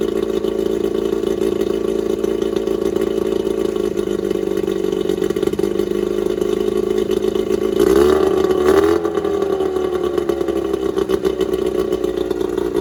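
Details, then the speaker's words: Starcraft boat's small kicker outboard, run during spring de-winterizing after the main motor was run and held temperature; smooth, even idle drone, picks up cleanly on a brief rev and settles back, running very well. "that ran any stronger it has to be a 15 horse now that you know both motors run and they run very well"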